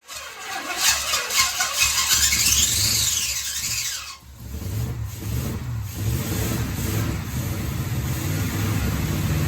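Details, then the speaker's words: 1973 Firebird first start in decades, screwdriver holding throttle open: high squeal while catching, then lumpy uneven fast idle in first minute, likely running on about six cylinders. "So it runs pretty terribly for the first minute or so. I think that's probably about 6 cylinders."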